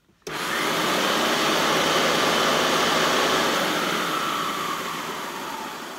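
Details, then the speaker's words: Hoover Turbo Power UB088 upright vacuum on low mode, before disassembly, brush roll belt very loose; after switch-on the motor settles into a steady, even rushing whine that stays level; normal running on low speed. "That's on low mode."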